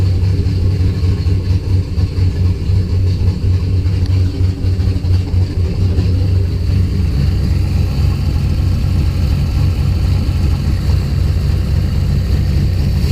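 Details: Loud, low, heavy idle with an uneven pulse. Spark was restored by moving the coil wiring loom. Fuel pressure was 50 after prime and over 60 during prime. The engine cranks healthy but sneezes fuel and runs really rich; the cause is unknown.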